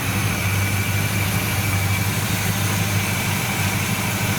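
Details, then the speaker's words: 1970 Buick Wildcat V8 with Quadrajet carburetor at shop for tune-up, starting right up: deep even idle lope, no rise and fall; no longer surging, which owner suspects was in the carb idle circuits. "it's not surging like it was either you know"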